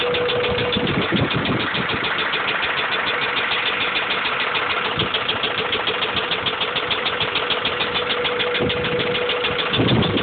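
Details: Honda B16 engine at idle: sharp, regular knock about three times a second from inside; suspected rod knock, not confirmed.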